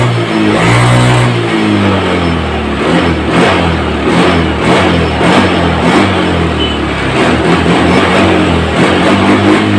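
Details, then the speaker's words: Honda Scoopy FI scooter, previously sputtering and lacking power, after repair. The engine revs up and drops back cleanly, with prompt, normal throttle response on each blip. "nah disini motornya saat kita gas pun sudah mulai responsible atau sudah spontan seperti awalnya ya"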